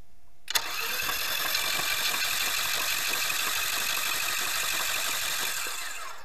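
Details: Outboard motor that had been submerged, cranked with spark plugs out and kill-switch cord removed to expel water from the cylinders; quick, light, even starter spinning with no compression pulses or firing; a little water came out of the lower cylinder.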